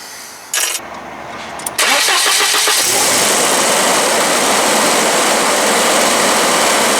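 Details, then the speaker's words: 1991 Volvo 245 engine cranks, fires and holds a fast, steady high idle that won't settle; adjusting the throttle position sensor didn't help and connector looked fine, so the sensor itself is judged faulty. "so it leads me to believe that this sensor is actually bad"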